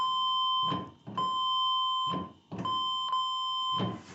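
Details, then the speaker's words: 1980 Triumph TR7 brake light switch tested with a beeper hooked on: a clean high-pitched beep cuts in and out with each brake pedal press, showing the switch works. "so i've got this thing here hooked onto it so that it'll beep if the brake light switch is working so i'll just check this out here we go oh i gotta get my foot over there right so that sounds like the brake bike switch is working"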